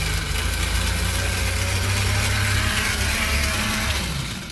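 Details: Fiat 600 that hadn't run in years, started on starting fluid after a new cap, rotor and fuel filter: the engine runs with a harsh whirring grind that never drops away, the starter stuck engaged; the starter was then fixed.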